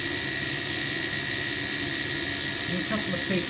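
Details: Ideal Mexico HE30 gas boiler during DIY repair for LF, H4 and LE error codes: steady even roar with faint constant tone, no knocks or rattles; burning smoothly.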